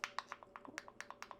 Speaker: so if it pops like that it's no longer sealed and not good